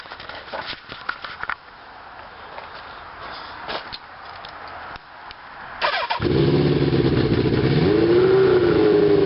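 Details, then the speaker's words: 1981 Kawasaki KZ550 LTD project motorcycle starts and idles with a quick sharp puffing tick: exhaust leaks from missing and loose header nuts, not engine knock. "it's got a couple of exhaust leaks because uh all of these nuts and stuff one of them is missing they're not really tightened so if you hear that noise it's an exhaust leak it's not a knock in the [Music] engine"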